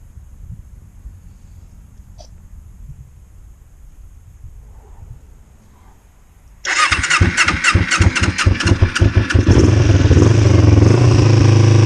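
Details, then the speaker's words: 2005 Kawasaki Ninja 250, cold start on choke after rebuild: engine catches with uneven pulses and swells to an unsettled roar, idle hunting around 2,000 rpm instead of holding; owner suspects adjustment off, possibly debris in fuel or a dirty jet. "We'll let it idle at 2,000-ish for now. Oh, maybe not. Jesus. It's got to just work itself out a little bit right now with the car."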